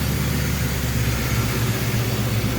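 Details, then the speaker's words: 1997 Ford Mustang SVT Cobra V8 after cleaning MAF sensor, new spark plugs and air filter: steady, low idle burble with no misfire or stumble; owner thinks it sounds better, possibly placebo. "it sounds better I don't know if it's system placebo effect but it does sound better"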